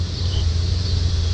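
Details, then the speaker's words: 1979 Ford Pathfinder Quadravan 4x4 V8 with new carburetor, after short driveway drive and restart; needs tune-up and has some vacuum leaks: deep steady idle rumble, no knocks or ticks, good oil pressure; normal idle. "Fires right up. Motor sounds great. It's even got good oil pressure."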